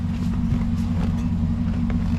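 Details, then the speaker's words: Daily-driver V8 at idle with no fan fitted: a faint tinny, intermittent tick that speeds up with throttle and is louder on the passenger side. The cause is a worn starter drive gear striking the flexplate. "definitely sounds like something we don't want to be driving the car with speeds up when you give it gas and it kind of sounds louder on the passenger side"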